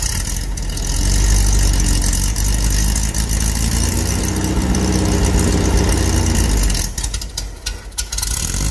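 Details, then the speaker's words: Dune buggy engine after remounting to cure motor hopping: loud, ragged low drone surging and stumbling with some chatter; hopping gone but rough running, carburetor poorly tuned, transmission front mount suspected for chatter. "well the motor's not hopping around like it was something happened the carburetor is not happy"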